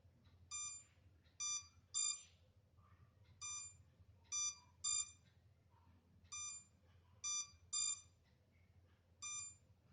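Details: MJX Bugs 3 drone left on without transmitter connected, minutes later: short high chirps in groups of one to three every second or so in a quiet room; lost-transmitter locator warning alarm.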